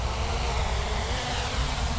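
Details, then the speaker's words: MJX Bugs 3 quadcopter with 1806 1800KV brushless motors and ESCs, just armed: low, steady, smooth whir at arming speed with no roughness, really quiet, normal idle. "and there we go pretty uneventful wow really quiet"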